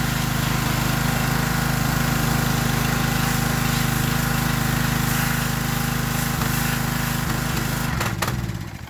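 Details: Free Troy-Bilt pressure washer small single-cylinder engine, first start with added throttle: runs steady and even with firm regular beat, no misses or knocks until shut off; normal running.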